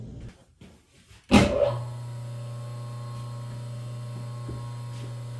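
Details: Three-phase motor started on single-phase power with no converter, switch doing the starting; it fires right off and settles into a steady, even hum with no growl or rattle, running fine.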